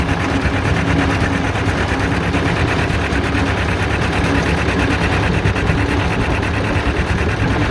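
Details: John Deere Model R tractor big diesel engine at first start after the pony motor was rebuilt, reinstalled and used to start it, following injector work and freeing a sticking fuel rack; slow, steady even chuff, no misses, knocks or hunting; normal running.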